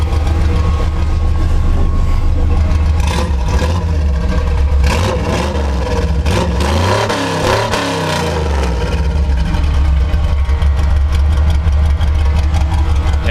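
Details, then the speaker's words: 1973 Chevrolet C10 short bed V8, built early 2000s: deep, even rumble with smooth rev sweeps, no miss or stumble, after refitting a pressurized line from the pump without leaks; engine runs strong and healthy. "this motor is absolutely a tank it runs like a champ I love this thing"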